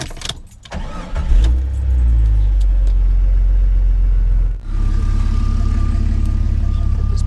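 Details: 2000 Jeep Cherokee XJ Classic: after some handling noise the engine catches within a second and settles into a strong, even run with a brief dip; sounds healthy.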